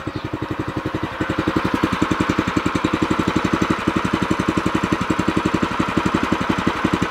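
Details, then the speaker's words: New O'Mac MC700 tiller on first run, throttle at minimum while warming up: even, quick single-cylinder putter, steady and unfaltering; idle is quiet and smooth, healthy. "Ăsta este relantiul merge frumos silențios frumos sper că auziți"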